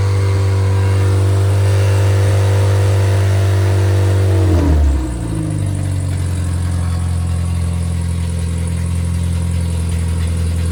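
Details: Freshly rebuilt MG Midget/Triumph Spitfire 1500 performance four-cylinder (shaved head, flat-top pistons, enlarged intake valves, 270 cam): a steady idle, then a clean jump to a higher steady speed with no knocks or misses; normal revving.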